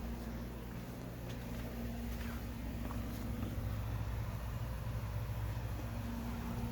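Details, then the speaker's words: Amana Cool Zone 5,000 BTU window AC on high with the compressor on: a soft, steady low hum with no rattles, knocks or cycling noises; owner suspects a less than full charge; normal operation. "that thing is so quiet that thing's quieter than most 5,000 BT is made today you don't you don't get quality like this anymore"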